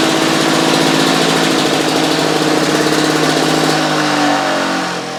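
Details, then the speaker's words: Victa Pro 550 Mulcher two-stroke mower after fitting the white cap on the diaphragm, fixing the vacuum leak that made it run away: loud steady drone at high revs easing down near the end, smooth and even; normal running. "So I've popped this white cap on and that solved the issue. So I'll just start it up now, folks, and I'll show you how it's running."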